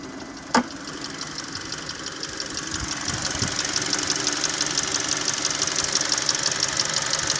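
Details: Hyundai 2.0 G4NA engine, warm after 1.5 km drive: warm idle with sharp light tick about three times a second over engine hum; knock comes and goes randomly, independent of warm-up; dealer says normal, origin unknown.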